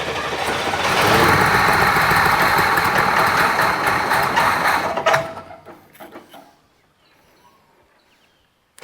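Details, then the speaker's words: International Scout on a newly fitted carby; the mechanical fuel pump delivers too much fuel, and the owner wonders if the jets are too big. Catches and runs unevenly for about five seconds, then stumbles and dies; running very rich. "as you can see it's running it's not running real good she's running Pig rich basically um even that mechanical pump's delivering too much fuel at the moment"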